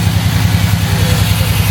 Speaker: So, firstly, a leak in the air intake system. You can actually hear that. So, that it's running at the front, which will definitely cause a misfire. Yep. Yeah. Something doesn't sound right.